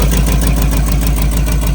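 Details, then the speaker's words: Old Chevy square-body barn-find V8 with headers, likely cam, after sitting for years: deep lumpy idle with puffing pulse each firing, slightly smoky (suspected fuel-system buildup); exhaust leak at header, gasket ordered. "Little bit smoky. Imagine just some built up in the fuel system. And I can see it's an exhaust leak coming from the header there."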